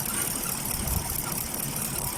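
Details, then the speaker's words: Chevrolet Caprice V8 at idle: uneven, lumpy, rough shake with no steady beat; scanner shows multiple cylinder misfire, no spark from bank 1 coil, caused by a cut ground wire at the back of the engine, fixed by soldering. "at the back of the engine I see the scanner this St it's a multiple mire cylinder mpire there's a ground wire here"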